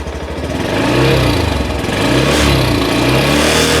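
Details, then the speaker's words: Honda motorcycle, stock factory exhaust with engine from the Wave125 family, about 1000 km: single-cylinder thump rises smoothly through throttle blips and settles steady; normal stock exhaust note. "อันนี้คือเดิมนะครับเสียงเดิมโรงงานนะฮะเสียงหล่อมากนะคุณผู้ชมมันคลาสสิคแล้วสนุกนะครับ"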